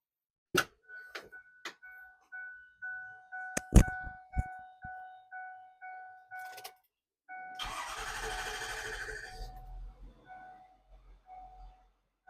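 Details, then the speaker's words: Ford F-450 work truck with replacement 6.4 Powerstroke diesel, original failed from thrust bearing; dash chimes, short crank, catches and settles to quiet even idle; normal first start after engine swap, coolant and oil full, good fuel pressure. "so that's it right there she's good to go she's running coolant full oil's full good fuel pressure"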